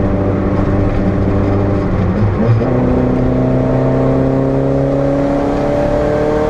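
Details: Renault 5 GT Turbo, GoPro test: engine pulls up through the revs with a rising note that wavers and stumbles as boost comes in; misfire on boost suspected, cause not confirmed.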